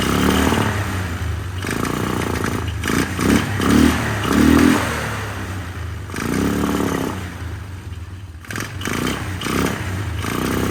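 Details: 1999 Polaris Sportsman 500 single-cylinder ATV, first start after fuel pump replacement, temporary tank, airbox off: engine surges and stumbles, rising and dropping every second or so. It runs rough, and the carburetor needs adjustment; it improves with the airbox on.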